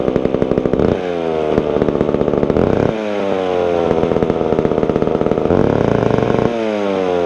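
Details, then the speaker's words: Vintage McCulloch Super 550 two-stroke chainsaw just reassembled after revival: rapid buzzy beat that never settles to a slow idle and surges slightly; idling a little high but running. "all right so I got it all back together it's idling a little bit high but it's running I'll go ahead I'll fire it up for you"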